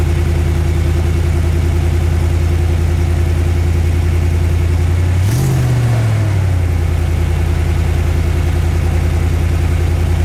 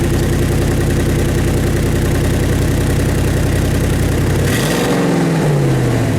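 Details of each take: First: Truck with an aftermarket MagnaFlow side-exit dual exhaust, restarted after clamping an exhaust leak: steady, even low idle with one brief throttle blip, and no ticking or puffing from the exhaust. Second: Truck with a MagnaFlow dual side-exit exhaust cracked at the muffler joint, started up: loud deep throbbing idle with a quick rev and rumbling as if straight from the headers, almost unmuffled; the muffler seal needs fixing.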